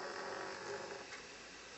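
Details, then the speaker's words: Nintendo Wii disc drive makes a raspy, uneven whirring grind with a mid-pitched buzz when a Metroid Prime 3 disc is inserted, not normal; eject works; console being sent to Nintendo for repair. "that ain't normal, is it?"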